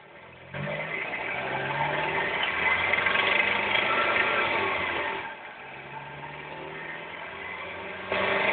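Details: NA6 Miata 1.6L, hose under intake manifold against block: faint regular knock about three a second in gear under slight load, not audible under hood; runs fine; possible rod knock, unconfirmed.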